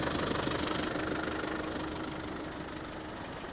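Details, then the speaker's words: 1995 Land Rover Defender 90 pickup, 300Tdi diesel, 153,000 miles, just started after the glow plug light cycles: a steady diesel clatter at idle with even, regular beats and no misses or odd knocks; smooth idle, clean oil, no smoke. "glow plug light comes on and off and it is running fantastic very smooth engine"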